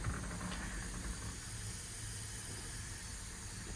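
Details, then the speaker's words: 2007 Ford F-750, ISB 230 hp Cummins 5.9 diesel, automatic, air brakes, about 251,672 miles: a constant sharp hiss over low idle rumble, an air leak suspected somewhere in the dash. "I just started it to pull up here and it sounds like I have an air leak coming somewhere in the dash so we'll get that taken care of today"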